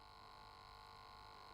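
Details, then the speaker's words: Ipos2 O2/CO2 gas analyzer running a measuring cycle with the needle in a package: small sampling pump hums steadily and evenly for about ten seconds, normal operation. "La pompe tourne pendant une dizaine de secondes et on a la mesure"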